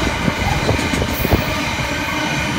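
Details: Class 66 locomotive 66704 hauling freight past Spalding, 15 March 2016: loud, harsh roar of steel wheels on rail, noisier than usual after rail grinding.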